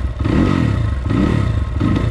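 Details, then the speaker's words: 2020 SSR Motorsports SR300 single-cylinder dirt bike with newly installed Lectron carburetor, idle hand-tuned: three throttle blips, each rev rising a little lazily with slight stumble; minor throttle bog. "a little bit of bog let's bring that rpm up a little"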